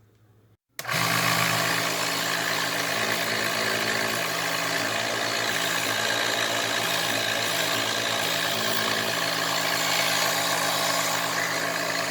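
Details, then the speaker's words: eBay-return pump, reassembled and tested before going back in its housing: the motor switches on and holds a steady, even hum with no knocking or grinding. It sucks and blows properly. "all right so sucks and it blows just like a good girlfriend"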